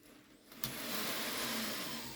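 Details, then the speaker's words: Second-hand Kato N gauge CSX locomotive running on track: harsh, high, steady hissing squeal from the motor, fading slightly; runs noisily and unhappily, owner suspects a dry motor needing oil. "He is squealing. Sounds like he's got a dry motor."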